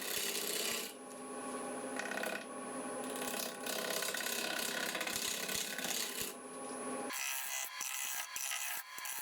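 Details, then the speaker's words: Wood lathe at about 800 rpm turning a natural edge bowl: rough scraping gouge cut broken by quick repeated knocks and chatter as the tool meets the rim, an interrupted cut. "Like I say, that bit of knocking and chatting you can hear."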